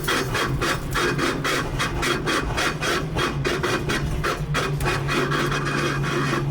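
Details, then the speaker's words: Slammed '65 Mustang driving with the front end very low; owner may raise the front an inch, and the noise goes away under full throttle. A harsh rasping scrape repeats about twice a second with wheel rotation; something rubs each turn, cause unconfirmed. "that is a horrible noise if you're still watching at this point that's kind of surprising cuz this sounds terrible"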